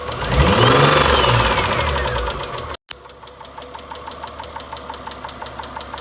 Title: 2003 eclipse 3.0 rod knock? What is this sound?